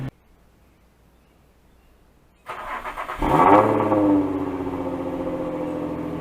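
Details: 2005 Infiniti FX35 after exhaust resonator delete, temporary clamped pipe: silence, then the engine fires and blips up to a louder, deeper exhaust note before dropping back to a steady idle; runs healthy.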